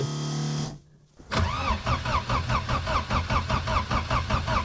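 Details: Diesel in winter, cold start after repeated glow-plug heating: starter churns in steady pulses about two and a half a second, never fires or catches; no signs of life, crank, no start.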